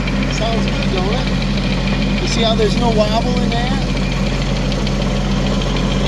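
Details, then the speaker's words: Used 2018 Woodland Mills WG24 3-point stump grinder, lifted and spun up on the tractor at about 85°F: a steady, even low drone with no thumping or wobble, birds faint behind; running smoothly. "I'm going to lift it up turn it on and test it and if it spins fine sounds fine"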